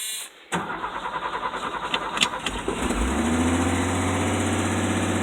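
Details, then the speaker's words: 1984 Ford F250 that was hard to start, after cleaning the badly rusted, corroded battery ground cable and clamp: about 2.5 s of even cranking, then it fires cleanly and settles into a smooth, steady idle; normal start and idle. "well there we have it there we have it never underestimate the power of corrosion and rust to stop your vehicle from starting up"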